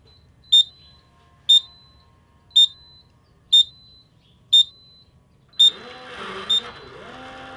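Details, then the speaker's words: Schlage Connect keypad door lock: seven short, high chirps about once a second with flashing yellow light, warning of low batteries; fixed by replacing batteries. "have you come home and found your schlog door lock making a funny noise and flashing a yellow light well that's a problem that you need to fix before you get locked out of your house"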